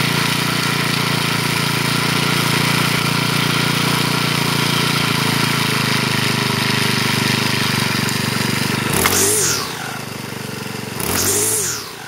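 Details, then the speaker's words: Troy-Bilt four-stroke weed eater after clutch repair, cold on half choke; holds a high steady whine at rest, head spinning continuously instead of stopping, then briefly blips down and back; idle set too high, needs adjusting. "that Idol needs to be justice the heads continuously spinning it doesn't slow down or stop"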